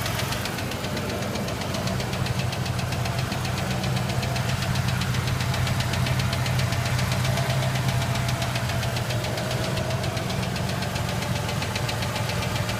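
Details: Ford Ranger: steady idle with a fast, light tick about three per second, constant throughout; engine ticking of unknown cause.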